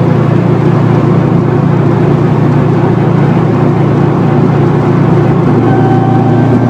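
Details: 2004 Subaru WRX STI at steady freeway speed with a failed wheel bearing that progressively worsened: constant low droning hum under road noise is rear differential whine, amplified by upgraded bushings and mounts.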